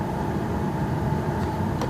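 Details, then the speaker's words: 2000 Astro Van blower motor after replacement and repair of a melted resistor pack connector, ignition on, face vent, cycled low through medium to high: steady even fan rush with faint constant hum, no ticking or rubbing; normal blower operation. "on settings on low and I just got it on face vent here and it's working it's lows working low medium I guess that's high medium that works and high"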